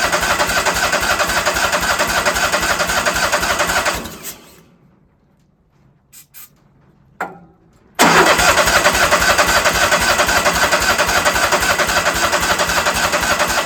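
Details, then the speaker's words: Sawmill engine cranked after a shot of carburetor cleaner: steady starter chugging for four seconds, stops, resumes, never fires; owner thinks it is not pulling fuel and can't hear the solenoid clicking. "Well, maybe it didn't work. Still acts like it's not pulling no fuel."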